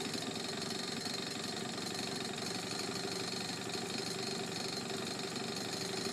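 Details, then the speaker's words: Honda Urban Express NU50 after the air-fuel screw was set from 2¼ to 1½ turns out, idle speed adjusted and the exhaust-to-cylinder joint tightened: a steady, even, crisp idle with no misses, quieter than before. "and I tightened up the exhaust connection to the rear to the cylinder so it's a lot quieter than a lot it was it rides runs and rides great"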